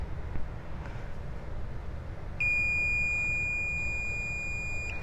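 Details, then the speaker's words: Multimeter continuity beep of about two and a half seconds while checking a fan wire for dual electric fans on a third-gen Camaro; the beep confirms a good wire connection. "if you hear the beeping, that means you have a good connection from this side of the wire to the other."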